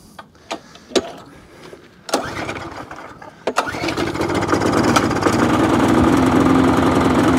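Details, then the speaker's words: Qualcast mower with a Briggs and Stratton Classic engine, primed and started with a few cord pulls; it catches but runs with an uneven, hunting beat. Runs poorly, and the owner plans a carburetor clean. "Well, it runs. Not very well. Carburetor clean."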